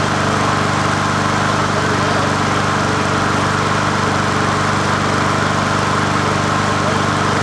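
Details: 20" Murray push mower #20201D after straightening its wobbling crankshaft and cleaning: a steady single-cylinder drone holds an even speed with no knocking or surging, running fine; the owner notes it could be low on gas.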